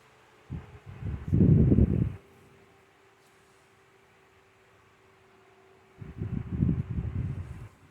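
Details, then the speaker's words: 2014 Lasko 16" table fan 2506 after motor replacement and cleaning, on low speed while oscillating: soft steady hum with faint constant tone, turning slowly and evenly though still a bit fast; normal low-speed running. "And you could actually hear how slow this is running. So, but still a bit fast."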